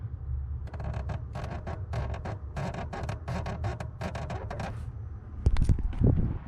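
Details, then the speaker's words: Jeep JL Wrangler Rubicon 2-door, one year and 18,000 miles, daily driven: repeated short creaks in bursts as the pedal is worked over low cabin rumble; pedal squeak, its only squeak, fixable with lubricant. "it that's the only thing that squeaks or rattles in the Jeep and it's easily fixed just by me putting some some type of lubricant on there other than that that's it"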